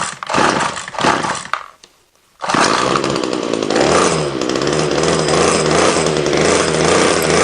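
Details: Ryobi two-stroke line trimmer whose head won't spin fast enough, heavy smoke from exhaust: cuts out, restarts, buzzes flat and uneven without revving; incorrect fuel mix with too much oil suspected.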